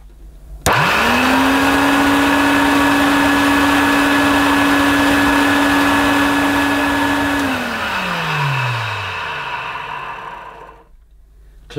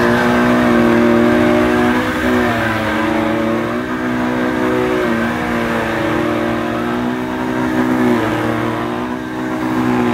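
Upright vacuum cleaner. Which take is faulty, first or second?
first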